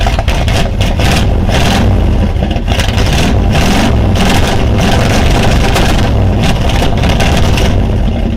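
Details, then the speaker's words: Plymouth Volare, after about 1,200 miles, after removing an old part causing a bad smell: loud, lumpy, uneven idle, smells of gas so probably running a little rich; owner plans to set timing and adjust carb. "Well, it's still not running very smooth. That's all stuff I can figure out when I do the timing, maybe adjust the carb a little bit, but it doesn't smell near as bad."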